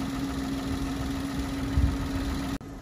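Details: Citroen C1 three-cylinder budget track car at warm idle after coolant was topped up; the fan has not come on and it is not thought to be leaking. Smooth, even idle with a low hum and no knocks, ticks or misses; healthy.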